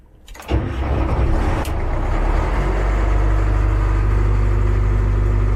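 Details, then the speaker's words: Cat 215 excavator diesel after brake seal replacement; starter turns it over in an uneven chug but it never catches, because the fuel tank is nearly empty. "Okay, I know what the problem is. I need to fill it up. It's just really low on fluid on fuel, so let me fill it up and then we'll crank it."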